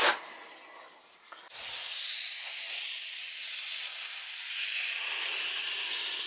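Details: Steady hiss, likely air at the bleeder, on a replacement old cast-iron radiator (installed after a freeze-up in a vacant house) as it is filled and bled; even high-pitched hiss after a brief quiet spell.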